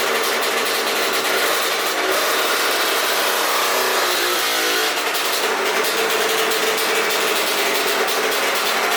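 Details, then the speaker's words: Aprilia RS50 with YZ85 engine after clutch plate swap, two-stroke: healthy at idle, but the high raspy note stutters and breaks up as throttle opens; bogs under load; owner suspects tuning. "all right so in that clip the bike sounds super healthy at idle but as soon as you really get onto it you can kind of hear that like that like really takes over as soon as you start to like get on the gas"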